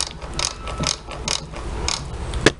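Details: Whirlpool washer transmission during spin: irregular clicking and ratcheting bursts about twice a second as the pinion, which moves vertically, rubs the worn lower spline on the shaft. Fixed by disassembling the transmission and replacing the part.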